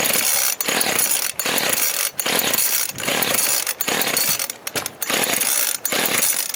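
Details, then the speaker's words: 25cc Craftsman two-stroke line trimmer, customer always added extra oil, plug cleaned but not replaced: repeated ratchety pull-cord strokes about once a second, whirring but never firing; won't start. A fuel issue is suspected, possibly a gasket fitted the wrong way. "not getting anything see yeah she having a fuel issue we might have to turn that gasket around I think it's in the wrong way"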